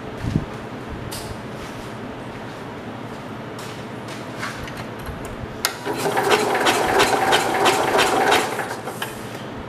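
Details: 1969 Cub Cadet 105 garden tractor after cleaning ignition points with sandpaper: quiet handling, then a few seconds of rhythmic cranking that never catches; the engine spins but won't fire, spark seen only weak.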